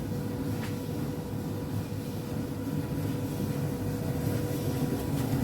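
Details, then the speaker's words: Alliance Speed Queen commercial dryer after replacing damaged drum pulley, pulley nut and drum bearing slide kit: low, steady drum rumble with no knocks, squeals or scraping; normal running. "okay now you can hear the noise no any abnormal very smooth the machine is running"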